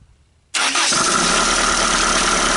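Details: 1980 Dodge Colt Challenger (Mitsubishi Galant) four-cylinder automatic, sitting 20 years since 2001, rusty, coolant just added: engine catches at once and settles into a loud, steady run with no obvious miss, now running on all cylinders.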